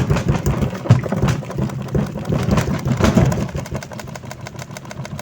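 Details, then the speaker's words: Astro spin dryer previously noisy underneath, tested after repair with back cover still off: low steady motor hum, no heavy knocking or rattle; normal quiet spin. "So goods na."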